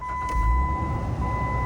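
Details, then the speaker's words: 2010 Jeep Wrangler JK after replacing the cylinder six spark plug wire for a misfire and check engine light: starts and settles into an even, steady low rumble with no stumble or miss, constant electronic tone behind; light off for now. "All right, engine lights off, but uh that doesn't mean it's going to stay off."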